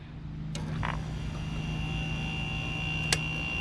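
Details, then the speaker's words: Kool King window air conditioner, first startup of the season after cleaning: compressor starts with a smooth, steady hum without the buzz of the previous year, evaporator hissing, normal. "That one was really smooth. Holy cow, that one was really smooth. You can hear the evaporator hissing up."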